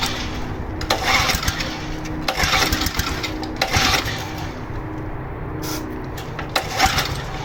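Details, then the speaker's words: Seized low-hour Honda HR215 lawn mower being freed, with rancid old fuel in the carburetor. Each pull brings a few ragged pops and brief firing bursts that die without catching. Pulling gets easier; smoke comes from the cylinder. "it's actually kicking i see a little bit of smoke coming out of the cylinder there it actually started suddenly getting a little bit easier and then kicked off a couple times"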